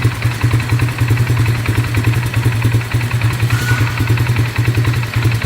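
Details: 2018 570 with a misfire but no trouble code: loud idle with a lumpy, uneven pulse, three to four stumbling beats a second; the engine dies at idle on its own.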